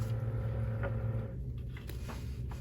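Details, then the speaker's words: Newly replaced Sensory Lightahead bubble tube air pump: quiet, steady low hum with no rattle or buzz, noticeably quieter than the old unit. "and as you could hear the humming is not as loud that's how you also know this is a new"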